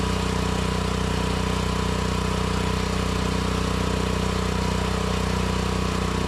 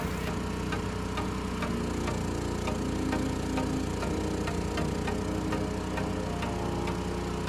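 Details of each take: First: Propane-run mini excavator engine after tri-fuel conversion (gasoline/propane/natural gas): fast steady beat with rough spitting and popping; smooth at high RPM when mixture screw turned in, spitting when turned out. Lean misfire from incorrect propane mixture. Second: Mini excavator engine converted to tri-fuel with a motor snorkel, running on propane at initial startup: steady low hum with a soft, even tick about once a second; idles smoothly.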